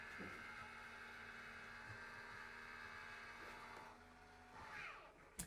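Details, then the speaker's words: Roof vent lid motor of a 2020 nuCamp AVIA travel trailer closing automatically after the fan is turned off: faint, steady, even-pitched whine over a low hum, then a clean stop. Working normally. "you can close the lid and it'll automatically close down"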